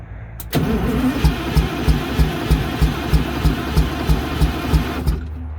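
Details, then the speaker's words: MCI MC8 diesel bus, sat about two years, first day above freezing, cranked from front controls, batteries suspected weak; smoking so fuel present: even starter pulses about three a second for several seconds, never fires; long crank, no start. "it's trying to start it wants to i can see it smoking we definitely got fuel it hit a lick just a little bit when we put some ether to it"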